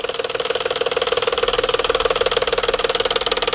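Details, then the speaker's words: Engine at cold start: sharp, very even tapping from the top of the engine that suddenly stops. A cam phaser whose spring mechanism catches up is suspected, pending a phaser test and rocker arm inspection. "typically you get that noise first thing in the morning or cold it'll just start tapping"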